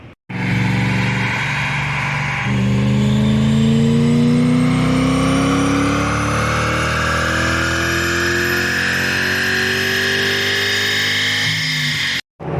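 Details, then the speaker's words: BMW E31 840ci with M62 V8 after a manual swap and new 2.5-inch X-pipe exhaust, on a dyno. One smooth rising howl from low revs to the top, no misfires or knocks; normal full-throttle pull. "Now we're about to do a third run. See what it sounds like. Man, that sounds good. Sounds really good."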